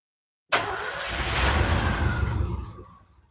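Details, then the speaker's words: Classic Malibu with a 454, owner suspects a carburetor problem: engine catches and runs ragged and lumpy, tailpipes sounding underwater, then sags and dies when goosed; rough running. "I don't I don't think they can hear the way it sounds, but it sounds like the tail pipes are underwater and then you goose and it dies."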